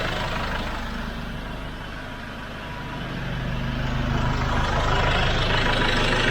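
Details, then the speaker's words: SsangYong Rexton Sports Khan diesel at idle after losing power above 2,000 rpm: steady low throb under a loud rushing airy hiss swelling toward the end; owner feared turbo failure, but cause was a detached intake hose leaking air. "แม้จะอยู่ในidlingmodeก็ยังมีอาการเสียงลมพัดเบาๆคล้ายเสียงลมพัดได้ยินไหมเสียงลมที่พัดออกมาดังมากบอกตามตรงผมคิดมากว่าเทอร์โบดับหรือเปล่า"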